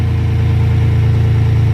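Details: 2014 Silverado after AC discharge hose replacement, idling with AC on max cold and fan on high while preparing to add refrigerant: smooth, steady low hum with a faint fan whir, no ticks or knocks; normal idle.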